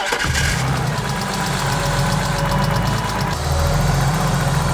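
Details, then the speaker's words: BMW E36 M3, unrun for 4 years, at operating temperature after a short drive. Rough idle with fast, light, even top-end ticking; owner suspects lifters still pumping up, unconfirmed. "It's got a pretty gnarly tick. All right. Might just be lifters. It's going to take a while for them to get pumped up."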